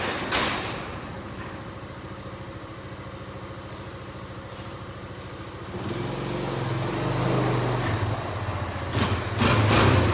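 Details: Kawasaki Bayou 220 barn-find ATV on test drive after carburetor cleaning, new battery, oil and air filters, straightened racks, rear right wheel bearing, seal and drum brakes: even idle putter then smooth pickup under throttle, no knocks or rattles; running really good, no issues.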